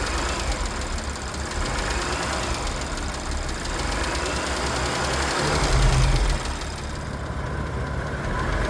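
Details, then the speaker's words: Audi B9 S5 with EA839 3.0 TFSI V6: fast, even tapping about four a second over steady idle; worn cam finger follower roller bearings clattering in the top end, a rare premature wear failure. "the little finger followers that open and close the engine's valves have little roller bearings in them that can, in an extreme case, fail."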